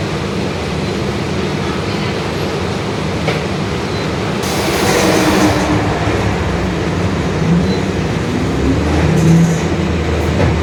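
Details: 2021 Marcopolo Torino S urban bus on Mercedes-Benz OF-1721 Bluetec 5 chassis, extended, running: faint drone over road rumble, largely masked by road noise. Differential whine, growling rear differential.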